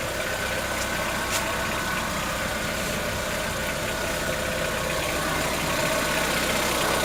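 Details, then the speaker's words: 2014-15 Chevrolet Onix 1.4 on gasoline, cold start: quick somewhat uneven ticking about four per second over idle hum; owner suspects lifter tapping inside engine, not injectors, present since new, lasting about 10 minutes and worsening yearly; dealer calls it normal. "Não é barulho dos bicos trabalhando, é dentro do motor. Conforme o ano vai passando, o barulho vai aumentando. O barulho chega em torno de 10 minutos."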